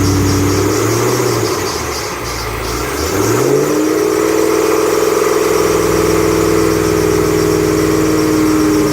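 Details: 2008 Bullitt Mustang, 8-rib serpentine belt, the morning after sitting overnight in the garage, under 30 miles driven: a steady high squeal climbs in pitch and holds as revs rise, a slipping serpentine belt.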